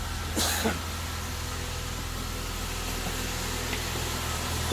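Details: 2008 Saab 9-3 2.8 L V6 just started after alternator replacement, charge light staying off: quiet, even hum at idle with a steady low beat and no ticks, squeals or stumbles; idling normally.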